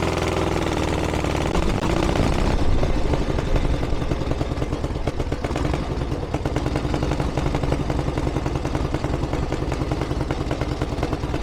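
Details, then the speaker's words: Harley-Davidson Ironhead Sportster 1000cc during final carb setup: lumpy V-twin beat, steady low thudding with no misses, idles cleanly and evenly; runs better than ever, though still feels slightly lean under acceleration. "Happy Days I can't believe that that's fantastic that's a lot better than it's ever been probably still needs a little bit of darling and it feels a little bit lean under acceleration"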